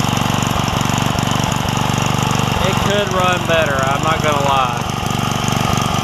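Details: Craftsman 3hp Tecumseh edger single-cylinder with retrofitted snowblower carburetor and swapped jet, new blade fitted, after governor linkage fix: even popping about four per second at moderate steady speed; running properly, not meant for very high speeds.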